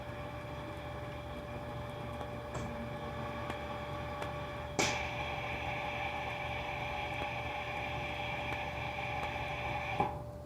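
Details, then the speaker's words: Centroid SC300P olfactometer priming with odor A, vacuuming it through lines and valves (about five to ten seconds): steady, even pump hum with a faint constant tone and a couple of crisp valve clicks; normal priming. "what the system is doing now is actually taking the other and then it's vacuuming it through the lines and the valves and making sure the order is present in the system as well"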